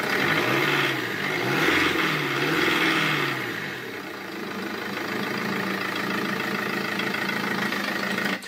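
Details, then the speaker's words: 2.0 HDi 90 hp common-rail diesel: revs rise and fall unevenly and sluggishly before settling to an unstable idle, with a dashboard fault; fuel pressure too low due to a failing pressure regulator valve (P0190), after earlier tank pump and pressure sensor replacement. "là vous pouvez voir que ce moteur est un 2000 HDI avec 90 ! HP, et il a des problèmes de ralenti, en plus de ça à l'accélération, il accélère aussi difficilement, et un défaut apparaît sur le tableau de bord, écoute !,"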